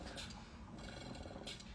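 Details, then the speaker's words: Breast pump (Luna) in massage mode, running normally: a soft, steady low purr with a slight flutter from the built-in motor vibration, even throughout; the gauge needle jiggles as it rises. "This is the massage mode. And you can hear it. This has vibration in it."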